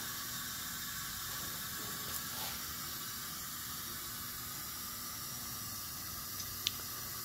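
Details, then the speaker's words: Pontiac engine after flat tappet camshaft break-in, reinstalling inner valve springs, cylinder pressurized with air: faint steady hiss of normal air escaping past piston ring end gaps. "that little bit of hiss that you're hearing right now I don't know if you can hear that in this video or not that's normal that's the Rings there's gaps on both ends of the ring so you're going to get a little bit of a air Escape by the ring"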